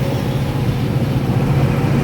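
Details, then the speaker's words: 2005 Mitsubishi Lancer, 107,000 miles, driving slowly: steady low droning hum under road noise; the right-side hub bearing sounds horrible, transmission otherwise fine. "As you can hear, the hub bearing sounds horrible on the right side. You can hear it pretty good. It sounds horrible."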